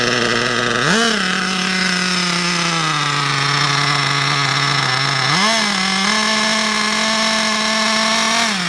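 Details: RC nitro car engine, bought new about 6 months ago, unused for a month and hard to start; after fitting a new glow plug and fresh fuel and adjusting the high-speed, low-speed and idle needles, the high buzzy engine blips twice and holds steady revs without stumbling. Normal running.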